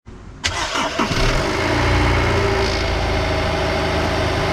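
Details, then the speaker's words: Honda S2000 at 86,000 miles on its original OEM timing chain tensioner: engine catches after a short crank and idles with a loose metallic rattle, a start-up rattle the owner notices mostly on hot starts rather than cold. Worn timing chain tensioner rattle. "we're at 86 thousand miles i've noticed it's starting to rattle mostly honestly on hot startups versus cold startups"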